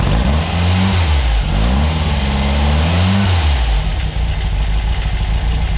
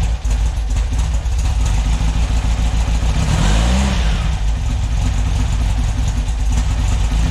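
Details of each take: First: VW air-cooled 2332 cc stroker flat-four (SCAT 84 mm crank, Mahle 94 mm pistons, Engle FK42 cam, dual Weber IDF 44) in a 1966 split bus, after carb adjustments during break-in: deep, even idle; throttle blips climb and settle cleanly; healthy. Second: Freshly built VW air-cooled 2332cc stroker flat-four (84mm crank, 94mm pistons, Engle FK42 cam, dual Weber IDF 44 carbs) in a 1966 split bus, first start: lumpy, uneven idle and a short rev blip over a loose irregular beat; owner suspects timing or carbs are off, unknown noise.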